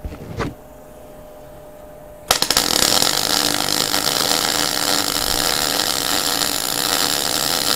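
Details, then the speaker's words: MIG weld at the same settings but with the torch held closer to cut stick-out so the shielding gas covers the weld: a steady, even crackling hiss without pops or spits, where too much stick-out had caused popping. "this one hear that guys it doesn't pop it just makes that nice noise again"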